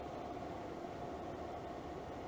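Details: Levoit LV-H133 air purifier after repairing a rattle, grille cover off, on medium: steady airy whoosh with faint constant tone, no rattle, slight vibration; vibration increases at top speed, still somewhat out of balance.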